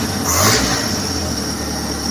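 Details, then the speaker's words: Suzuki Futura carbureted engine (T120SS) that would die at low idle: quick throttle blip, then drops back to a steady even idle without hunting or stalling after clearing small dirt from the carburetor. "hanya kotoran kecil bisa Nah ini bisa langsung stasioner"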